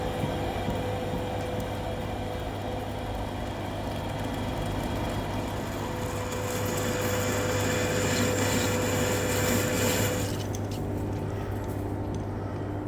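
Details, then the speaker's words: Lathe machining the seized piston off a Komatsu PC1250 excavator bucket cylinder rod: steady cutting drone with thin high ringing that drops out near the end; insert chattering on a heat-hardened spot that wears inserts fast. "No laila, ʻo ke kani kani kiʻekiʻe āu e lohe ai, he hōʻailona ia he paʻakikī loa kēlā mea. Me he mea lā aia he wahi wela ma laila."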